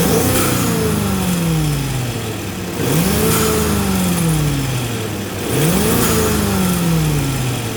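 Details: First-generation EcoBoost Ford F-150 after replacing the failed turbo coolant line and refilling coolant, started to check for leaks. The engine idles and is blipped three times, rising and falling smoothly with each rev.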